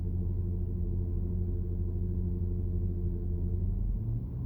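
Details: Porsche Cayenne Turbo PDCC active anti-roll system heard inside the cabin while driving: a steady low droning hydraulic whine-hum with even tones, sometimes jet-like. It is normal and harmless, attributed to the lack of a pulsation damper in the system.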